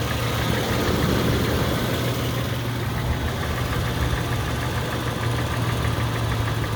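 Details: Toyota FJ Cruiser at idle: faint light ticking about four per second over a steady idle, suspected lifter or tappet noise; cause not confirmed.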